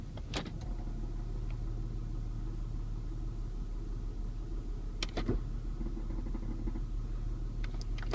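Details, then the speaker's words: 2006 Saturn Vue petrol engine idling: a low, uneven rattle buzzing under the hum, with a few sharp clicks. The rattle goes away as soon as the throttle is touched. "like something's rattling it goes away the second I touch the gas a little bit"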